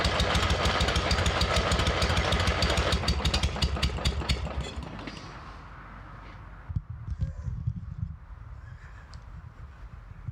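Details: MTD riding mower engine with compression but stubborn, flooded and smoking oil: rough, uneven firing around 200 beats a minute that sputters, fades and dies within seconds; ignition timing thrown off by a sheared flywheel key.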